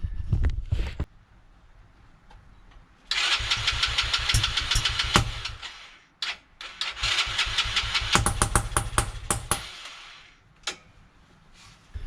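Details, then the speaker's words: TaoTao Coolster 110cc ATV after a valve adjustment to about 0.003–0.004: cranks and catches, then sputters with sharp, irregular pops. It almost idles on choke but pops badly off choke. Backfiring from a faulty CDI unit. "So that's the popping noise, and with the valves adjusted, still no change. It is better on choke than it is with off choke. On choke it'll almost idle, off choke it pops like heck."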